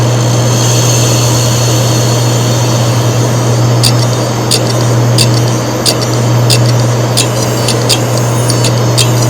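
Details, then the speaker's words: Seagate enterprise helium hard drive powered on, fourth of four comparison recordings. A constant harsh, grinder-like whirr with sharp high ticks about twice a second: heads scraping the platters, making the drive essentially not worth repairing. "第4段最炸裂，这个声音明显是磁头和盘片已经发生了摩擦。"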